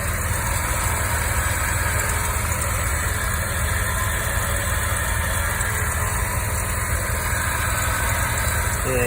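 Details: Series 1 Mazda RX-7 (FD3S) rotary idling with a steady faint whine from a worn power steering pump, to be replaced with a rebuilt unit.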